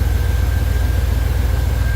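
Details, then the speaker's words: 1989 Chevy Silverado V8 after new fuel filter, plugs, wires, cap and rotor and reseating a loose distributor cap wire: deep, even idle with no stumbles, fired right up; running better, though the no-start may be intermittent. "but it fired right up a couple of times um it seems to be running better only time will tell I guess because it seems to be"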